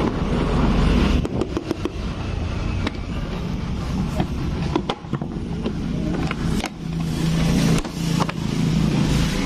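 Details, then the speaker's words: 2018 Honda Beat digital scooter: loose uneven metallic clatter from the cam chain, came on suddenly, worse climbing hills; cam chain tensioner stuck, not pressing the rubber guide, so the chain is slack, no engine teardown needed. "ya dapat informasi juga dari yang punya motor suaranya mendadak sebelum-sebelumnya enggak jadi pasti dikendarai pakai agar nanjak sedikit suaranya Parah Kayak gini"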